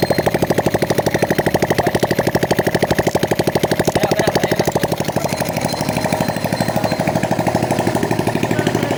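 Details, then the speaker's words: Honda XRM 125 single-cylinder after overhaul with new cylinder block, rings, connecting rod and pin: even thumps about three a second with no knock or rattle; connecting-rod noise gone, normal running. "okay na itong ganyang makina at wala na yung ingay ng connecting R"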